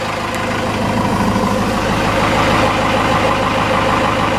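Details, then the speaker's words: 4BT Cummins diesel with starting issues: clattering idle with uneven beat, odd cylinder dropping out, inconsistent miss and some smoke; owner suspects air in fuel system, plans lift pump replacement. "but now you hear it it's you'll know what it misses I've seen it comments miss before it it's not consistent like this"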